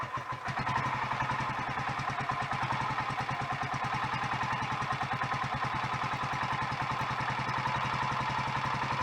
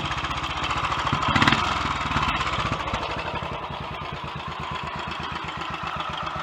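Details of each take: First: Royal Enfield Electra X single at its first cold start after a rebuild with new conrod, big end and piston: a cough, then a steady idle thump with a clattery mechanical edge. It sounds better than before, but the remaining noise is not big end or piston; timing gears are suspected. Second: Royal Enfield Electra X single-cylinder, completely standard, first start after engine rebuild with new conrod, big end and piston and timing gear noises addressed: steady, slightly uneven idle with light top-end clatter, much quieter than before, acceptable.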